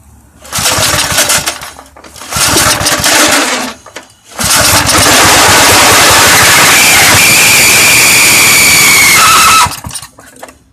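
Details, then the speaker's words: Very old Southland push mower with Briggs & Stratton 3.5 hp engine, spark tester removed: two harsh pulls don't catch, then it fires and runs before cutting off. Pull-start noise suspected from the recoil pull cord, possibly needing cleaning; unconfirmed. "Sounds like we got something going on with the pull cord there, but it fired up. That might need to be just cleaned out or something."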